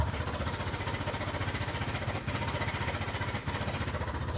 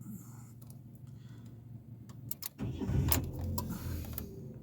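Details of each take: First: 2013 Ford Ka at idle after the throttle is released runs lumpy and shaking with uneven low thumps, apparently on only two cylinders; a scope shows the ignition coils firing. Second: 2013 Ford Ka with intermittent motorway breakdowns, restarted after clearing a phonic wheel learn fault: keys jingle, short crank, engine catches promptly and settles into a smooth even idle; engine light out, healthy start.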